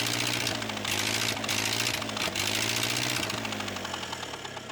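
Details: Ford 8N tractor project, old four-cylinder engine on a temporary run: an even, steady chuff of firing pulses at idle, easing off toward the end. It runs smoothly.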